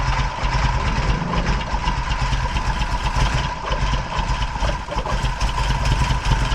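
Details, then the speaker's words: VW Golf 1 four-cylinder idling cold after timing belt replaced and re-timed (timing had been badly off): steady, even low rumble, no missing beat, seems to run on all four cylinders; owner blames slight exhaust puffing on a manifold leak. Normal idle. "mais moi, je pense qu'elle tourne sur ces quatre cylindres. Elle tourne correctement."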